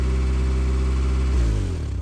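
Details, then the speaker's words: Geo Tracker farm utility vehicle, first start after a tune-up with new spark plugs, and plug wires back in the correct firing order; the timing is on. Even, smooth idle with a steady low beat and no misfire, then it winds down at shutoff. Sounds better; normal idle. "Oh, it sounds better already, Autumn. I think you girls did it right. Oh, she sounds good."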